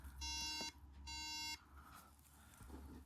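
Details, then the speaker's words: 2009 unibody MacBook Pro at first power-on after shipping: two long shrill beeps about a second apart instead of the startup chime; owner suspects RAM unseated in transport, not confirmed. "Okay, so reading information online, it's a RAM issue. So basically, probably during transport, the RAM just got fucked."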